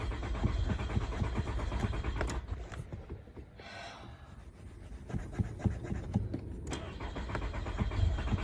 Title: Going out hard start